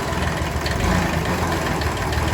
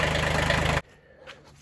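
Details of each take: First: Kubota B6100 diesel tractor at idle, in gear with clutch pressed: rough uneven rattle over idle, gone in neutral or out of gear; worn clutch pilot bushing. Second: Kubota B6100 tractor after a pilot bushing repair idles with an even, steady rhythm and no knocking or wobble noise, and the transmission input shaft no longer wobbles. Normal idle.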